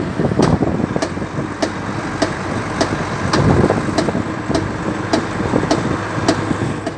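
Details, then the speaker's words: Volvo FMX truck on a trip, rear wheel discs checked and intact: sharp metallic click repeating about every 0.6 seconds over the diesel rumble; clicking from the rear axle, cause unknown. "Посмотрели, в общем, диски целые сзади. То ли в этом мосту что-то сзади. Вот такой вот звук"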